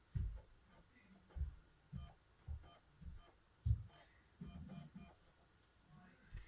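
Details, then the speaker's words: Xbox One S loading a disc; soft irregular thumps as the disc seats, then brief quiet whirring spin-up; normal disc loading, reference for comparison with a noisy Xbox 360 disc it won't read. "So, when I insert this disc, this is what it should sound like."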